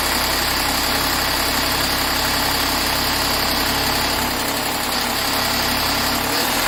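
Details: 2013 Jaguar XF 3.0L AJ126 supercharged V6 just after first start following rebuild, rattly at first: now constant idle with steady hum and airy hiss, no knocking; vapor from cooling pipes; normal idle.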